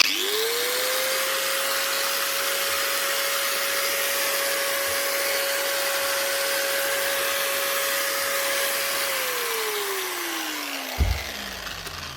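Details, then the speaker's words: Roughly 10-year-old angle grinder with its original lead, from a fishing-boat repair box, checked on the bench: spins up fast to a steady high whine, holds evenly, then winds down smoothly after switch-off. Normal running. "Right. I hope this is not just a checkover job. All these are working."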